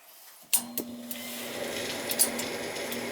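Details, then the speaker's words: Same old Bryant gas furnace after the motor was oiled: a few clicks, then a low, even hum with no squeal or grinding; much quieter, a temporary fix. The fan was checked and is not the cause. Normal inducer motor running. "look at that. It's quieted it right down. Sure did. And we know it's not the fan because I checked it."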